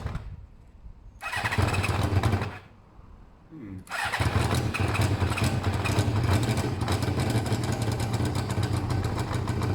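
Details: Motorcycle with its coolant topped up, with pod air filters: two short cranking bursts that die, then a rough, uneven low idle, the engine struggling and the pod being sucked forward from too little intake air.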